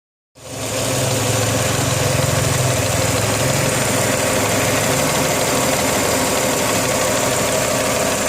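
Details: Rover KV6 V6 at idle: fast, fairly even light rattle about four times a second over the engine note; source not pinned down.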